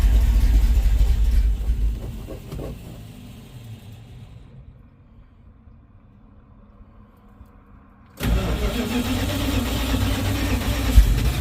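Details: 1970 Dodge D100 V8 with a Holley Street Dominator intake, new fuel line, choke not connected, an open plug at the back later found unplugged: long steady cranking that slows and fades, resumes after a pause, never catching; cranks but won't start.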